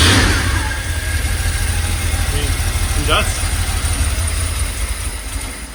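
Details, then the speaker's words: 1982 Porsche 911 Slantnose started for the first time in over 20 years, with fuel system cleaner added. It catches and runs on its own with smoke, but the idle surges and stumbles unevenly; owner says it just needs cleaning. Rough running. "that is a solid little run right there little runs it just needs to be clean that's all not bad smoke show"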